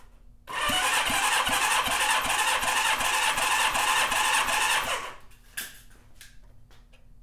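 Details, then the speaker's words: Rebuilt Honda CB550 engine, cold and not broken in: steady starter cranking with even compression pulses; cylinder 1 reads 150 PSI, up from 117, within the manual's 150-170 range, healthy. "number one has 150. Excellent. Now 150 to 170 is what the service manual calls for as normal. So that's that's good."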